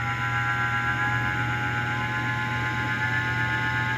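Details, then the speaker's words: Split AC indoor blower motor, removed from blower and run alone: steady hum with rough gritty buzz and high whine; motor's two internal bearings worn, blower and bushes fine. "তো এখন কিন্তু শব্দ করতেছে। তো মূলত এই মোটরের বিয়ারিংগুলা খারাপ হয়ে গেছে, যার কারণে এই শব্দটা করতেছে।"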